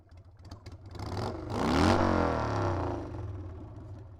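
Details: Carbureted Harley Sportster V-twin after freeing a float needle stuck closed, tested to see if it takes throttle without stuttering: it picks up cleanly on blips, peaks smoothly and drops back to idle without stumbling or popping; healthy.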